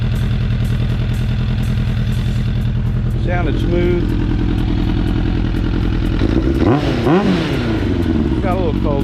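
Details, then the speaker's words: 2004 Suzuki Katana 750 under restoration, running off a remote fuel tank and warming back up after the idle adjustment. Steady, even four-cylinder idle with a smooth low beat, no misses or knocks. "he's idling good that's quiet i guess my babble adjustment did the trick makes me feel a little better"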